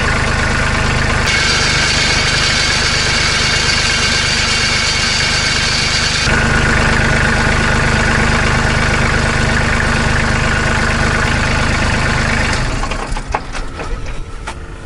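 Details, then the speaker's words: Kubota B2650 compact tractor diesel idling after fixing a muffler rattle with a hose clamp: even, steady idle with a regular low beat and no rattle or buzz; quieter, healthy idle. "so it fixed the problem made the rattle go away and now it runs a lot quieter I don't I don't get annoyed by it when it's at an idle and that things rattling like it's falling apart the only thing you hear now is the diesel engine"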